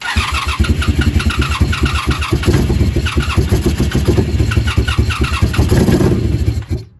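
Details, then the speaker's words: 1987 Honda Super Magna, warming up with choke off and air filter out; lumpy, uneven idle pulses then suddenly dies; stall, owner suspects giving too much gas or choke. "oh boy now I messed it up probably giving her two too much gas too much [Music] choke oh now we killed it"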